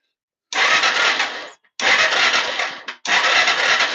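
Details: Yamaha TTR-230 electric-start diagnostics, spark plug out: three one-second bursts of fast even starter whirr with no compression pulses, spinning freely; starter cranking normally, plenty of spark.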